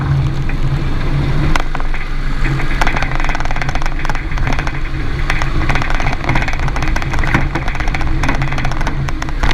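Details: 2017 Renault Duster 4x4 while driving: irregular sharp knocks over steady road and engine rumble, only on the passenger side; persists after replacing the strut kits, sway bar link and stabilizer bar bushings on both sides.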